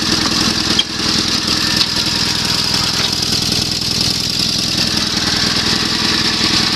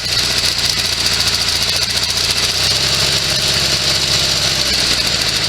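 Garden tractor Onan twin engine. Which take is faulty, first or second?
second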